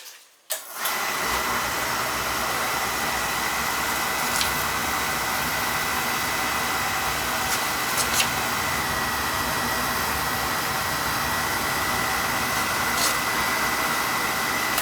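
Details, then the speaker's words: Old boiler with no heat on the second floor, burner relit after resetting the air band: catches with a soft thump, then a steady, even roar with a faint high hum, with good draft over the fire, not choked; normal firing. "actually got drafted over the fire there so yeah we're getting good draft over the fire so that means it's not choked"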